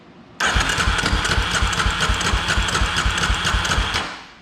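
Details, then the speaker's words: 2003 Polaris Predator 500 during compression test, 130 psi closed throttle, 145-150 open; cranks a few seconds with uneven compression thumps and metallic clatter, noise thought to be from starter drive; noisy cranking. "So I think the starter drive's the thing that's making all that noise."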